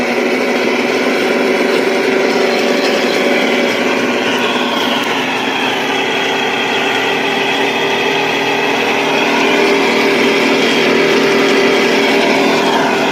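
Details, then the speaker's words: Sun Joe electric wood chipper running empty: motor whines with wavering, strained tones, sounding bogged down with nothing in it; cause found as a worn motor bearing, replaced with ceramic 608 bearing. "But it just doesn't sound like it's supposed to. It sounds like it's struggling even if it's even if it's not doing anything, right?"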